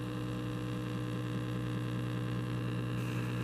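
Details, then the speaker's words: 1936 Zenith 6B129 shortwave radio, possibly modified, dial light not glowing: loud steady low hum with faint static and no station; owner suspects power supply vibrator, dead receive path, cause not found. "if we turn the radio on i'm getting stuff on the speaker some slight hums and whatnot sounds like the vibrator in the power supply which might be a thing but i'm not getting much other than static"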